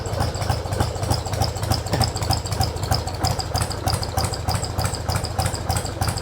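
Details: Mostly original carbureted two-cylinder Harley Sportster started on choke with the fuel tap opened; exhaust apparently altered, sounding different from before; uneven loping thump about three pulses a second, heavy vibration; normal idle.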